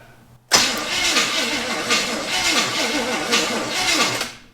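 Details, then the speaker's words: 1974 Chevy Camaro sitting 24 years: about four seconds of steady cranking that never catches; only a couple of sparks then none, so dirty, pitted ignition points need filing. "now we had a couple of sparks then it quit i need to go get a step stool and get up in there and file them and see what we got going on"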